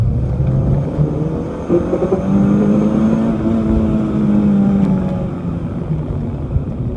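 Petrol engine pulling hard at high revs with an uneven, stumbling beat and brief dips in power: a high-rpm misfire, cause unclear.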